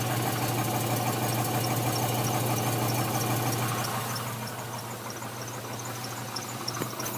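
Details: Chevrolet Trailblazer SS 2006, LS2 V8, cold start idle: steady low drone with a regular light knock about three per second; owner says not piston slap, noise gets louder as it warms up.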